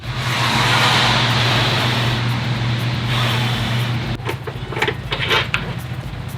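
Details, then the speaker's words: 2005 Subaru STI with EJ257 engine, heavy smoke on start: rough running with uneven ticking knock over idle, dropping into a stumbling beat; owner concludes it's the motor, suspects short block or possibly valve issue, engine coming out for rebuild. "I dug so deep in this car to try to find something, anything that I might have missed that might be causing that ticking, knocking noise. It's the motor."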